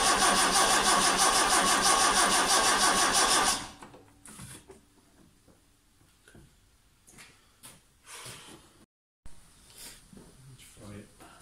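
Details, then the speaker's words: Vauxhall Chevette (HSR replica), unstarted for years, spark unchecked; very sluggish starter, engine earthed directly as body earth suspected bad; cranks steadily about three turns a second for three seconds without firing; cranks but won't start. "I'm just gonna give it a try very sluggish starter a little mess around with batteries battery connections and stuff"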